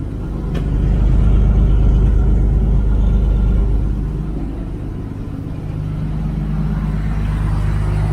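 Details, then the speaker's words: Toyota Land Cruiser idling after cat replaced with straight pipes, new O2 sensors and exhaust repair: deep, even rumbling idle whose exhaust beat swells then settles, no leaks or ticks; healthy, no check engine light. "It sounds great. And look at this. No check engine light. Very cool. I like the sound of it too."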